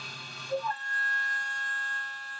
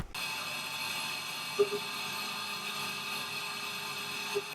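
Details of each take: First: Milling cutter chatter: steady high-pitched squeal as the cutter bites, caused by the tool wobbling with resonance while machining; milling chatter. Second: Milling cut after MSC MillMax optimisation, compared with earlier setup that chattered from resonance; smooth, even cut with steady high whir and no chatter, like a knife through butter.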